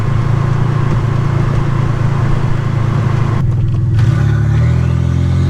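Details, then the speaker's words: 1985 Nissan 300ZX Turbo (Z31) driving after misfiring under boost, new spark plugs and wires and fixing vacuum and boost leaks: strong low exhaust drone, pitch stepping up through shifts while building boost; loud but smooth, not yet floored or redlined. "this thing's a little a little freight train it feels pretty good getting in the boost and i haven't even floored it or redlined it yet"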